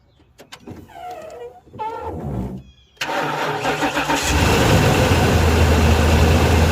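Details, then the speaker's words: Ford high-top van, dead battery after sitting over a month, jump-started with a new Noco booster pack: brief cranking catches instantly, then a steady even idle with no misses; healthy start. "just like that you guys if you can hear it running we can turn this off it instantly started it up"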